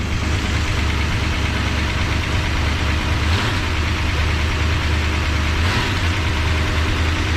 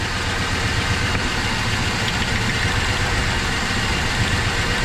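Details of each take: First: 1973 Dodge Dart Sport V8, cold, just restarted after cylinder head work for dead cylinders, bottom exhaust disconnected: steady idle with light quick ticking over the rumble as lifters pump back up; hydraulic lifter tick. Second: 1973 Dodge Dart V8 with misfire, lifter noise gone after warming: steady, slightly lumpy idle that dips when this plug lead is pulled, so this cylinder fires; neighboring number seven sparks but shows no change, suspected dead with six.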